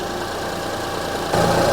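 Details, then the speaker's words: 2005 Honda Odyssey with flashing check engine light, misfire codes and severe shaking; uneven, lumpy idle with a stumble that suddenly gets louder; waveform shows cylinder 3 ignition coil bad; recommended fix: replace that coil and all six spark plugs. "so the third ignition coil is bad I'm going to recommend replacing one ignition coil and six spark plugs"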